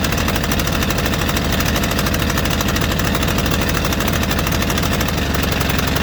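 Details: White Outdoor LT542G riding mower twin in a cold shop, running rough, drinking gas and putting fuel in the oil: it chugs unevenly at a fast beat, surging and stumbling without settling. The throttle linkage was binding.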